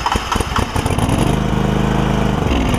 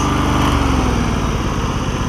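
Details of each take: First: John Deere LX188 lawn tractor with new aftermarket carburetor: small engine catches, stumbles and surges a few seconds, then dies while gas pours out the bottom; flooding carburetor, float suspected. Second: John Deere LX188 lawn tractor after fuel system overhaul with the carburetor refitted, muffler still burning off junk: small single-cylinder settles smoothly to a steady idle with no hunting or sputter; normal idle.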